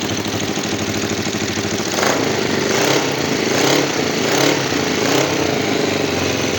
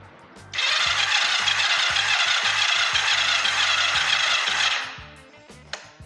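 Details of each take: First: Kawasaki GPZ 500 cafe racer after carburettor cleaning, fresh fuel and a charged battery, before carb synchronisation. It started once the carbs filled and now holds a steady twin-cylinder idle, with clean throttle blips that return smoothly; healthy. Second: Kawasaki GPZ 500 cafe racer that is very hard to start in the mornings, cranked with a gauge fitted. Even, easy cranking with no firing; this cylinder reads under 3 bar, and its valves are suspected to be tight.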